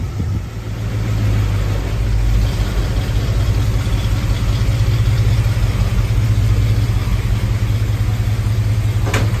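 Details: 1976 Ford F100 351C V8, first fire and break-in after timing adjustment: smooth even idle with mild lope from a non-aggressive cam and a throttle blip; normal.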